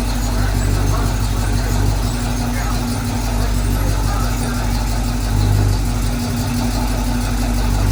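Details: 1968 Chevy K10 pickup, first start after 327 V8 engine swap, oil pressure coming up: deep steady burble at even idle, no misses or knocks, voices and yard noise behind; normal idle.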